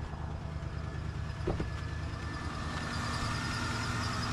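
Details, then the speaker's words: 1995 Ford F-150 that had crank-no-start with no spark, after blowing out and reconnecting the red connector: engine starts right up and runs steady and even, no misses or knocks; cause was a dirty, bad connector. "all right the truck started right up"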